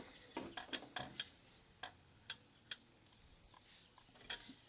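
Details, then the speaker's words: Antique Vienna Regulator wall clock, ticks amplified, with the case bottom pushed sideways, which works like turning the knurled beat nut. Ticks are uneven, short gap then long; the meter reads 40%, out of beat and will not run. "hear that that's out of beat. That's 40%, and that will not run."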